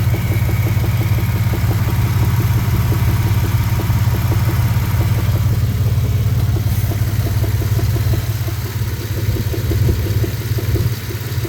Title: 2000 Dakota 3.9 engine knock anybody have ideas?(2)